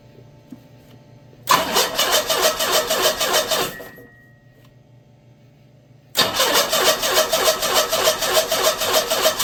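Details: SX4 just fitted with a Holley 3200 carburetor on an Offenhauser adaptor, replacing a failing Varajet II, with an electric fuel pump at six psi: a couple of cranks, a stumble, then a snappy catch into an even idle with no misses. Normal start and idle.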